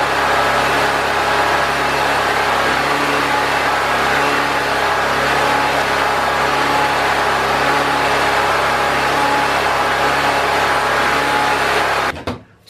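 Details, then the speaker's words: Predator 4000 generator, previously starting but not staying running, now running consistently after refitting the air box and filter; steady, even drone for twelve seconds with no surging or hunting, then stops. Old oil still in. "got the generator running and it's running consistent I've cranked it up and turned it on let it run for quite a while"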